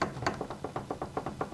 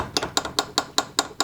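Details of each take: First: Garage door roller in its hinge after fitting a roller sleeve, replacing metal-on-metal contact: dull soft thuds about six a second as it is rocked, with the rattle gone. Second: Garage door roller stem with sleeve removed: sharp metallic clinks about five per second as the loose stem bounces metal-to-metal in the hinge tunnel; free play causes rattle.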